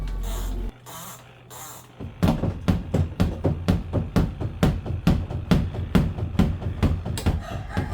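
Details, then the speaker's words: Semi-automatic washing machine spin basket thumping heavily about twice a second against its housing because clothes were badly arranged in the spin compartment; rearranging the load fixes it. "Parfois ce bruit bizarre que tu as entendu dans ta machine à laver est dû par le fait que tu as mal rangé les vêtements dans le combattiment à essage."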